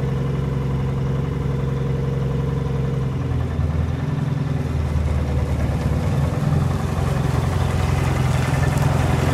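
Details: Military Munktell C1 "långa hund" hot-bulb road grader, first start in 50+ years, bought broken in the early 1970s and never repaired: slow, deep, even thumping that settles and picks up slightly after a few seconds; runs healthy.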